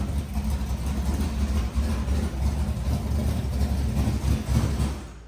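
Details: Squarebody Chevy truck, thought to be just cold, that also has a battery ground issue. It gives a deep, steady rumble with an even beat and no knocks or misses; running smoothly and sounding healthy.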